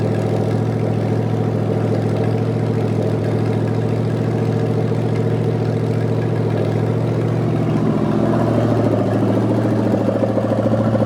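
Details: 1973 Canadian truck 350 small-block Chevy V8, rebuilt with one new piston and rod, big cam and fuelie heads, first run without fan: steady, even idle with deep lumpy cam beat, briefly climbing; running healthy.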